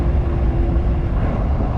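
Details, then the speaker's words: 2005 Jeep Wrangler Unlimited TJ 4.0 at full throttle: deep steady drone that never climbs, engine struggling and unable to reach 3,000 rpm; clogged catalytic converters. "This is me flooring it right now. Oh, there it goes. It won't even get up to 3,000 RPMs. I definitely think I have a problem."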